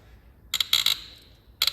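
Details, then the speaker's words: BMW 3.0L diesel, glow plug worked back and forth with penetrating lube in the threads: sharp, high squeaky creaks in short bursts as it turns. Glow plug seized and binding in its threads. "not that I can see it helping that much at this moment in time uh it's just a terrible noise Oh I thought it snapped the ratchet slipped oh that was a moment wasen it"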